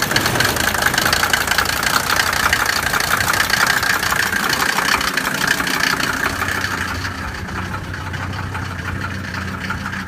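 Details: Mercedes 190D turbo, weeks after injector O-ring seal replacement: loud clattering knock about three per second over rough, shaky idle with lots of smoke, engine shaking returning to idle; cause unconfirmed.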